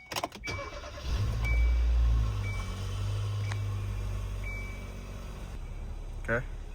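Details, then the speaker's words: 2014 Kia Soul after replacing catalytic converters with welded and bolted exhaust: short crank, catches quickly, revs and settles into a smooth, quiet, even idle with no rattle or exhaust blowing; sounds much better than before. "let's give her a few revs, see how it sounds. The door is open. Sounds way better."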